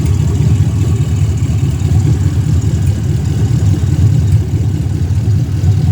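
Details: 2016 ambulance L96 6.0 V8 running on the floor; deep, smooth, even idle rumble, no knocks or misses, smoke-free, nearly new engine; thin intake lets some intake noise through; normal idle.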